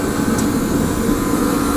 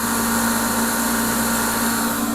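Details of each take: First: Torpedo heater with the fuel pressure adjusted, lit with a propane torch through the side holes: a steady, even burner and fan roar with no sputter or surging. Nothing else is wrong; only a new igniter is needed. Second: Torpedo heater (Century/ProTemp) running with its cover off, pump pressure reading high against the 3 psi spec: blower and pump hum steadily with an even whine, but no burner roar builds. It fails to ignite.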